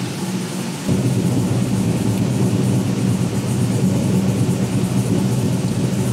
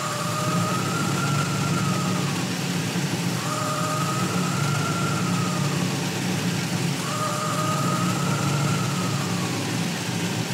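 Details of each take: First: V8 with Holley EFI after replacing a faulty TPS sensor that read 3% off and had been forced onto an oversized throttle body shaft; steady, even, deep smooth idle with no hunting or surging. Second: Warm V8 with Holley EFI idle surging every three and a half seconds, IAC position swinging wildly despite RPM above target; traced to one sensor reading off by three percent.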